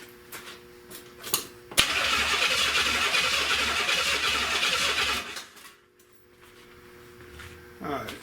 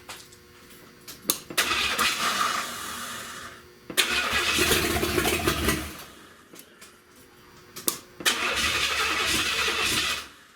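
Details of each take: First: 1970 Buick Wildcat 455 V8, fed from a fuel can: the starter spins steadily at about four turns a second for three seconds but the engine never fires; the fuel pump delivers no fuel. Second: Unmuffled open-exhaust first start-up of a 1970 Buick Wildcat convertible 455, no exhaust fitted: three ~2-second revving bursts dropping back to low idle, no knocking heard underneath; engine sounds healthy, though a big oil leak is noted.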